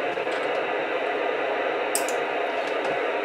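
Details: Portable radio near a Raspberry Pi powered from a wall wart: constant rushing static with faint crackles, interference generated by the Pi's power setup, only partly reduced as ferrite toroids are snapped onto the power cord.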